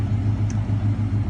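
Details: 1993 Ford F-150 after replacing the engine computer (failing capacitors had caused idle surging): low, even idle pulse with steady rhythm, no hunting or surging; surge resolved.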